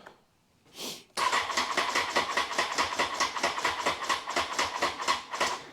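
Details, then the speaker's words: Honda CBR954 Fireblade, first start after a six-month rebuild including gearbox work: the starter turns over slowly, about two or three lazy pulses a second, without firing. The battery showed full charge, yet slow cranking points to a weak battery. "right needs some extra juice don't it battery was showing full power"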